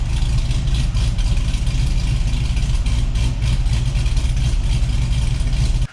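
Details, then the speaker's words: 2006 Cadillac CTS-V (CTS V6 body with salvaged CTS-V drivetrain) whose new Dwin disc clutch won't disengage and is due for slave-cylinder shims: deep, lumpy, loping idle with a choppy, steady beat; healthy cammed V8 idle. "Listen to this thing. It's a good sounding Cadillac."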